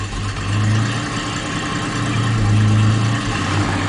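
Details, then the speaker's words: 1989 Jaguar XJS V12, slightly warm, after distributor overhaul and hose replacement (owner unsure of ignition timing): deep slow idle around 500 rpm hunting about 100 rpm up and down, gurgling, V8-like sound. "it's sitting at about 500 rpm and it's jumping up and down about 100 rpm up and down up and down"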